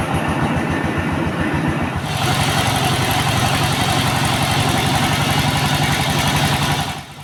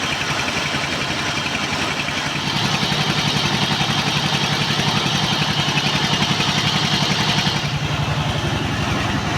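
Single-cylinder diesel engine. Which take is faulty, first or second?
second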